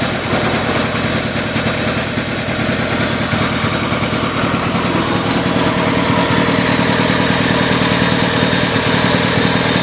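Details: Toyota Celica ST202 engine idling loudly with an uneven, lumpy beat about three times a second instead of a smooth hum; engine misfire.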